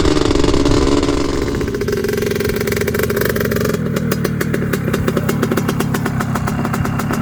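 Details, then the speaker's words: Predator 560 big-bore ATV, riding on trails: engine note breaks into uneven popping bursts instead of a clean pull; rider says it's running rich. "it's definitely rich oh yeah you hear it keeps sputtering"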